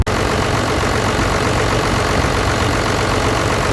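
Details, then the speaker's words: 12-valve Cummins diesel with a new XDP high-output alternator replacing one with a failed bearing, charging 14 volts: steady, even idle with dense diesel clatter, no bearing whine or rattle from the alternator: normal idle. "Everything so far seems to be checking out fine, charging well, no more bearing noise, no more rattle out of the alternator."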